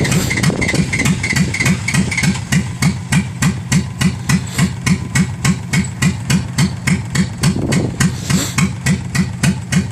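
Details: Dodge Ram with a carbureted engine and temperature-driven mechanical choke, after a cold hard start while the gas is pumped. Loping unevenly at about three and a half beats per second with sharp tapping: running rough, and smoking.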